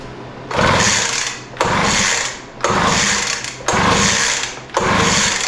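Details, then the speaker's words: Poulan Pro 200 mph two-stroke leaf blower, non-runner, given a start-on-spray test with carburetor cleaner, throttle open, choke open, kill switch on. Five brief rattling pull-start cranks about a second apart, never firing; no-start with cause not yet found, so a deeper look is needed. "start it's not looking good so far cuz it sure didn't start we're going to spray a little more in there"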